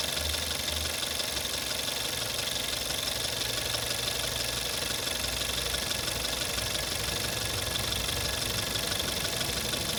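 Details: VW Jetta 6 1.4 TSI CAXA, 125,000 km, cold start after standing: harsh metallic rattle at about four a second over the cold idle, vanishing once warm; owner suspects timing chain, but chain tested not stretched at 100,000 km; source unconfirmed.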